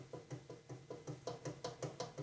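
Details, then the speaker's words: Mower deck pulley bearing spun and rocked by hand: it spins too freely, and from high miles it has a little play, giving light dull clacks about five per second; worn bearing. "this just spins free like from all the miles on it it has a little"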